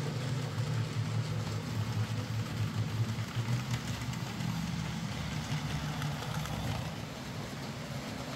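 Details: Hornby J15 model loco, bought new about two years ago, ran slow and noisy; after swapping in a new motor and regreasing the worm gear, soft steady low motor hum, no grinding or rattle: quieter, smoother, normal running.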